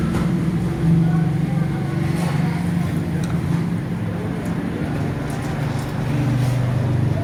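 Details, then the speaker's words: Honda CD 70 motorcycle while riding: steady low roar with a droning hum, no knocks; worn primary gearbox gear makes the engine noisy under way. "यह इसकी box की गरारी flyover Girari से बुलाया जाता है तो इसकी वजह से ना गाड़ी चलते हुए शोर करती है गाड़ी जो है रूम रूम की आवाज़ ज्यादा पैदा करती है तो लिहाजा ये आवाज़ अच्छी नहीं होती"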